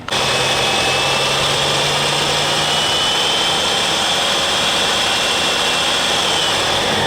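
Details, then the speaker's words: Carbureted Jeep CJ-7 that died and would not start, run with the fuel line dropped into a can of gasoline: steady even run with smooth high whir, no stumbling; fuel pump working, problem suspected in tank or pickup tube. "so it's sucked all that down so obviously we got an issue with the fuel tank or the pickup tube or something in the back fuel pump's working great"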